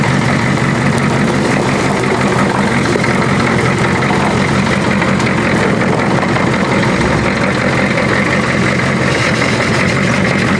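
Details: Old diesel car after reconnecting the glow plug wire: steady, even clatter at constant speed with no misses or knocks; idling smoothly and healthily.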